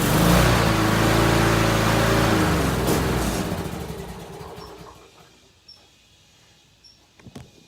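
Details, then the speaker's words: Free used small gas yard machine, only washed off, restarted by pulling the kill cable back out: runs smooth and even at a steady speed, then winds down and stops cleanly when the cable is pushed in. Healthy engine. "This is amazing. All I really did is wash it off."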